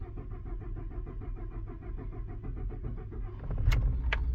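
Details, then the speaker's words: Ford 3.5L EcoBoost with code P0087 (low fuel rail pressure), after replacing the high-pressure fuel pump: long crank because the fuel system was drained, then a smooth even idle. Rail pressure keeps up with the 6.2 MPa requested; the idle was erratic before. "and the idle is nice and smooth before when it came in it was all over the place"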